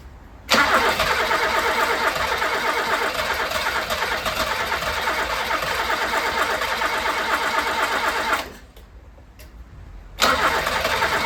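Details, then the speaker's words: 1980s Toyota Tercel barn find, first start attempt with fuel poured directly in and truck battery connected: starter churns steadily about three turns a second for eight seconds, pauses, cranks again, never catches; carburetor bowl possibly empty, suspected. "so it sounds like it wants to go it wants to play but it ain't going yet I don't know if it's because we're out of fuel that's getting a bit more fuel then I suppose the pot for the carb could be absolutely empty"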